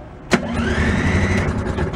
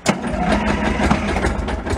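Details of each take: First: Beaver amphibious vehicle, first run in 25 years on an owner-built drivetrain replacing the blown factory engine, battery trickle-charged overnight: started in neutral, a quick starter burst, then the small engine fires and runs fairly evenly; a clean, healthy start. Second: Beaver amphibious vehicle with a blown engine replaced by a homemade drive train, cranked on 12-volt deep-cycle batteries: two bursts of steady cranking at about three turns per second with no firing; owner suspects no gas.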